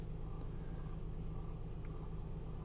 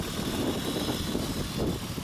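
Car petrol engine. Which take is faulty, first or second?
first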